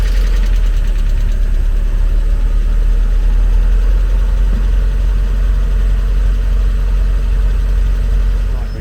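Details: Used Mazda MX5 viewed for purchase, fitted with aftermarket coilovers, anti-roll bars and strut braces, just after start-up: deep, steady idle with an even low rumble and no knocks or misses; a normal idle.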